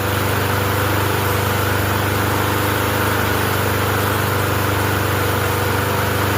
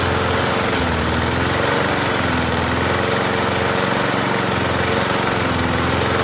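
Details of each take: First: Murray 20" push mower with a 4.5 hp Briggs & Stratton engine, running after a no-start fix and still burning oil residue off the muffler: steady even running with a light buzzing rattle from a loose galvanized nail in it. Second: Murray 20-inch push mower with 4.5 hp Briggs & Stratton engine, just primed after refusing to run: small single-cylinder keeps running in a steady, slightly uneven putter without stalling; engine now running.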